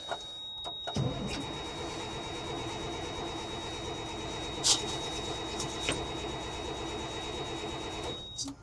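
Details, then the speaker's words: 8.3 Cummins diesel military truck sitting for years, cranking after priming lift pump and injection pump: steady starter drone for seconds but never fires; crank no start, owner suspects more fuel priming needed; it later briefly caught. "nothing. I think I'm gonna jump off here, try and get a little more priming done on it and see if we can get this baby to run."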